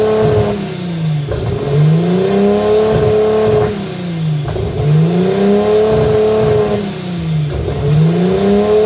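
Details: Nissan RB25 Neo with a high idle problem, during propane testing for vacuum leaks: idle swells and settles about every three seconds, a slow steady hunt; no leak found in the tested area.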